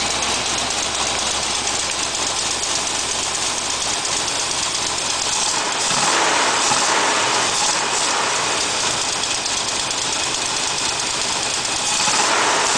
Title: ford 5.0 rough idle